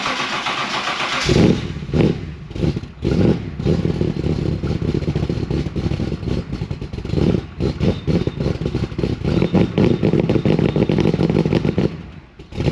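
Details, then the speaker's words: 1988 Holden VL SV88 V8 with Rochester Quadrajet carby and the rear muffler removed for testing: it cranks, catches, then stumbles and lopes with a boggy, choked note. It runs very rich, with fuel smell, from a flooding carburettor needle and seat. "Definitely running rich big time. What's going on there?"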